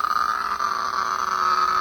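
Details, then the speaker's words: 2005 Ford F-450 6.0 Power Stroke electric fuel pump, bench-run on 12 V: thin whine that wavers and sags; pump is shot and shorting internally, and the truck would run and then quit when the pump got hot. "hear it change this pump is shot so it's it's Jack now"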